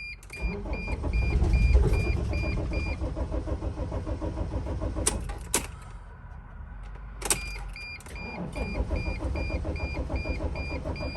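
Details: 2006 Dodge Sprinter diesel, crankshaft position sensor fault blamed, mass airflow sensor disconnected, slight diesel smell: starter churns about three and a half beats a second in long bursts, never catches. Disconnecting the MAF did not help. Crank no start.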